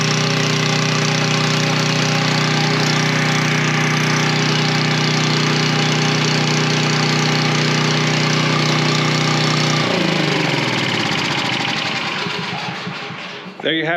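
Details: Coleman Powermate 3250 W generator, 6 hp Briggs, after carb cleaning and plastic-welded fuel inlet repair: steady, even drone at constant speed for about ten seconds, then smooth wind-down at shutdown; healthy running.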